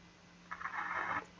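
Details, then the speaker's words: Caliber Venom CA 160V4 car amplifier after resoldering four transistors, speaker connected: short scratchy crackle over faint steady hum; output channels crackle with DC present on the output, remaining faults not yet found. "Elle grisille aussi. évidemment, je vais pas laisser allumer sinon je vais griller l' haut-parleur. Donc il y a un courant continu qui sort là."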